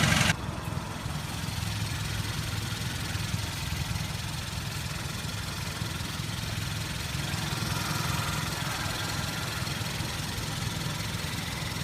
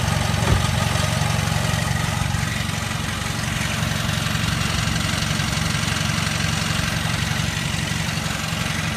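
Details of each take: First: Hyundai Veloster idling after dealer replaced the transmission and a cracked flywheel, which had caused loud shattering noise and cabin vibration: steady even idle, low smooth hum, no knocks, rattles or shudder; normal idle, quieter than before. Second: Hyundai Veloster idling before the dealer replaced the transmission and flywheel: loud shattered noise from the engine bay with cabin vibration. Heavy, rough idle with a rattling throb near four per second. Cracked flywheel and failing transmission.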